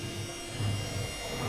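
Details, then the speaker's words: Electrolux washer-dryer on spin after its broken, loose drum pulley was replaced with a new one that fits tightly on the shaft with the centre bolt and has no play. Steady, smooth low drum hum with no knocks or extra noise. "поставил её на отжим стиральная машина крутит никаких лишних звуков не издаёт"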